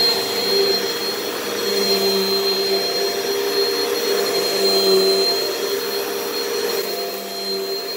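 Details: Repaired upright vacuum from a Hoover/Bissell batch with a short 18–20 ft cord gives an even, steady high whirring whine with no surging or rattling; the motor runs healthy, though its brush-roll housing is warped and rubbing.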